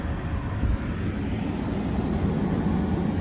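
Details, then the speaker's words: 2012 BMW 3 Series F30 cabin blower after leaf debris was removed from the fan and the cabin filter replaced: smooth, even airflow rumble with no ticking, scraping or flutter. Normal blower operation. "That's how it should sound."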